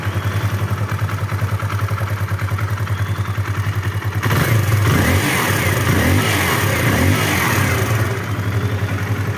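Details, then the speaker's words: Kawasaki KLX 150 single-cylinder idling with a steady, even thump; the earlier rough ticking from the top end is gone and the engine now sounds smooth and quiet. "ya ini suaranya sudah halus Ya teman-teman sudah tidak Berisik lagi"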